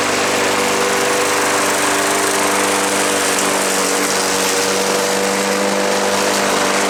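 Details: Craftsman push mower after auto choke inspection, covers back on: a high, buzzy small-engine note held at constant speed with no surging or sputtering; runs smooth and steady, normal running.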